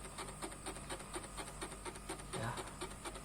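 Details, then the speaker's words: Two-door refrigerator not cooling in either compartment, refrigerant circulation judged normal. Steady soft ticking about twice a second from the defrost timer motor shows the timer is active and running normally. "Nah, ini terdengar suara timer di sini menandakan bahwa timer ini sedang aktif."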